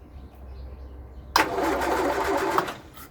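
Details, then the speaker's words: 1962 Land Rover Series 2A 2 1/4 petrol, first start after over 10 years sitting, oil and water checked: about a second of cranking that never fires; crank no start. "keep hold of it all right let's see we've got spark let's turn it over for us chester there's nothing there at all"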